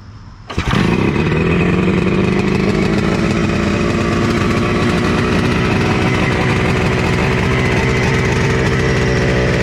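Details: Honda FL250 440cc two-stroke, not yet tuned, some openings seemingly unsealed: starts and settles into busy, uneven idle with ragged low popping; runs rough, needs a good tune-up.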